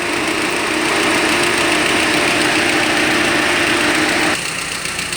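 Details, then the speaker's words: GAZ Gazelle, ZMZ-406 fuel-injected engine, hot at about 88°C, knock only when hot: light quick top-end tapping heard as the radiator fan cuts out; owner first suspected the camshaft, now suspects hydraulic lifters. "выключился слышите характерный звук до принципе я грешил сначала на распредвал и разбирал много раз собирал в принципе ну и все же я решил поменять гидрокомпенсаторы потому что этот стук происходит только на горячую"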